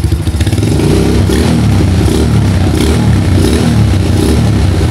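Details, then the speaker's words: Honda GL100 motorcycle fitted with a Tiger head block (stroke-up), after service for oil seepage and smoking; test rev with a smooth, even exhaust note that climbs and settles cleanly, no misses or knocks, like a new Tiger; piston ring gap measured 0.50 mm, beyond tolerance. "suaranya temen-temen bersih-bersih halus ya Aduh halus Suaranya kayak motor Tiger baru ya teman-teman"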